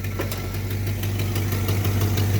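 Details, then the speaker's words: 1980 GMC truck V8 after tuneup with new MSD HEI distributor and timing set: steady even low rumble, revved a couple times, no knocks or misses; healthy motor, a million times better than before. "Woo! That is a healthy motor. Oh yeah. Oh, that sounds so much better. That's a million times better."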